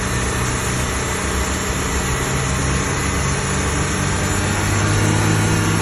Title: 2025 XD1500 NSU whining noise